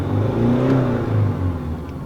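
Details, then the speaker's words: Diesel with VGT turbo that used to jerk, cough and make wind noise when accelerating, checked after repair: engine pitch climbs smoothly under gentle throttle from low revs and settles back; intake air and boost now steady, acceleration normal. "There's no change in sound anymore Then I'll try driving"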